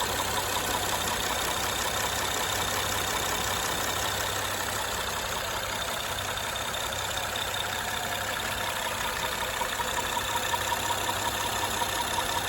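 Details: 2013 Honda Accord Coupe EX-L 3.5L V6 automatic at idle: light, rapid ticking about three per second, clearest in higher tones, worse at high rpm; persists after timing belt, tensioner, water pump and valve adjustment; possibly worn cam lobe, unconfirmed.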